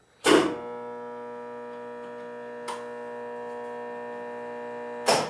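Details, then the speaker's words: Bridgeport Series 1 R2C3 CNC mill during spindle speed change: steady electrical hum with three sharp clicks about 2.5 s apart from the solenoids actuating the pneumatic spindle brake and air motor of the variable-pulley drive; normal solenoid clicking. "actually yep so you can actually hear that clicking noise is these uh what we have over here is there's a couple of solenoids up here and these actuate the uh the air BR or the the spindle brake which is pneumatically driven"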